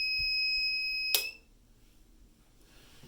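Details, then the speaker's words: Reliable 1500 W inverter on four Panasonic 36V ES200G scooter battery packs, hairdryer switched to high: steady high-pitched alarm for about a second then cuts off; battery voltage sagging, inverter low-voltage alarm and shutdown near 400-500 W. "The voltage is dropping. And so it'll do 400 watts. It won't quite do the 500 it needs up here."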